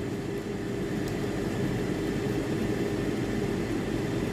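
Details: Tefal air fryer EY201866 that would not power on or heat, after thermal fuse replacement: a steady, even hum with a constant low tone and no rattle or scraping. The fan runs smoothly; power light now normal.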